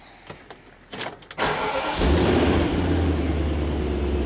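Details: BMW E31 840Ci V8, under restoration and being readied for an MOT after eight years: short crank, fires at once, settles into a deep, steady idle with no misfire. Healthy start.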